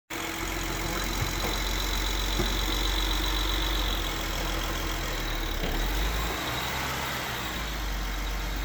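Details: BMW 535i pulling away from a stop at low rpm, clutch let out with almost no throttle to exaggerate it: deep engine drone with a loose, uneven rattle under load.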